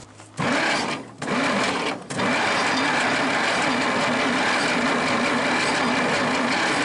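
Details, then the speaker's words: Worthington tractor, thought to be a 1947, with a Chrysler 218 flathead six, sitting for decades: the starter spins fast, even and unusually light without catching. The owner suspects low compression and sticking valves. "Okay, folks, we're having trouble getting this thing started. I don't think we've got enough compression."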